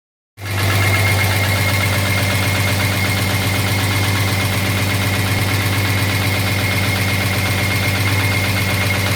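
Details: 1983 Jaguar XJS V12 at steady idle, no revving: sharp regular knock about four times a second; owner suspects a dropped valve seat, not confirmed.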